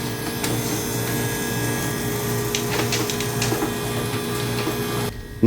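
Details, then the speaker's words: Hoshizaki ice flaker after scale cleaning, tripping: heavy steady motor drone with rough scraping bursts, auger drive grinding and straining under load; scale cleaning didn't help, cause unconfirmed, next step is removing the one-time-use seal bolts. "Now, after hearing this noise, I figured that I didn't accomplish anything."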